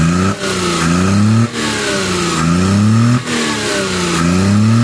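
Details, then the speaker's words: Suzuki F6A petrol engine misfiring and backfiring with an unstable idle and hard starting; it surges and nearly stalls every second or so; the valve cover was removed and the valve clearances were found out of spec. "ad Ara Suzuki f6a engine ang giti na balatian ay palado walang Menor at saka mag backfire [Musika]"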